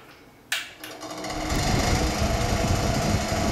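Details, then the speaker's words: Vintage Rex-Ray X-500 box fan, a year after its motor was found dry of oil and then oiled: clicks on and spins up with a light, uneven rattle under the rising motor hum. "I wanted to do an update an after video finally almost a year later of the rexray X500 box fan that had a rattle problem last year and sounded like it rattles a little bit when you turn it"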